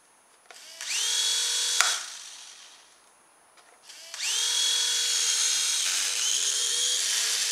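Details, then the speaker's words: Silverlit PicooZ Sky Challenger toy RC helicopter with old LiPo batteries: the tiny motor spins up with a high buzzing whine and a rough, shaky vibration, and it won't lift off. Stripped internal gears are suspected because the motor spins before the rotors. "so two Duff helicopters but it looks like the transmitters work although this one seems to all right yeah it's not going to get off the ground don't know if you can hear it vibrating"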